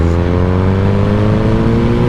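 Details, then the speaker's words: Motorcycle test ride after repair, velocity stacks still to fix, in high gear: steady low drone at about 2000 rpm with no stumbles, misfires or the earlier jerking; bike dislikes such low rpm but runs clean. "but no no uh stutter you can hear you can hear the bike not liking it"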